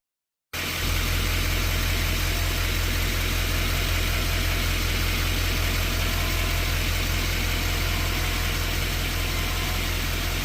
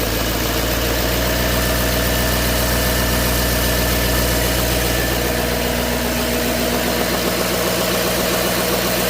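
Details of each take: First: 2011 LML 6.6 Duramax diesel idling, before the fix: steady low hum and buzz, suspected to match GM PIP4826. There is no performance concern; exhaust and downpipe brackets were checked. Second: 2011 LML 6.6 Duramax diesel after applying GM PIP 4826C coolant line fix for an engine bay buzz: steady idle with the usual even clatter, idle ramping up, no buzzing heard.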